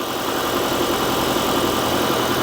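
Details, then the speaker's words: 2016 Kia Optima Hybrid after engine replacement (original threw a rod and caught fire): engine started in ready mode, running to charge the low hybrid battery; steady, even idle with no knocks or misses, running smoothly. "what that'll do is that'll keep the engine running. So right now it came on because it needs to charge a hybrid battery, because the hybrid battery was low."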